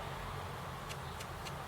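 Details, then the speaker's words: Acorn Archimedes floppy drive after cleaning, run flat the right way up (it fails upside down because of a critical weight): soft, evenly spaced ticks about three a second over low hum, head stepping up the tracks while reading normally. "yeah no reeks or anything it's just stepping up the tracks as it should do"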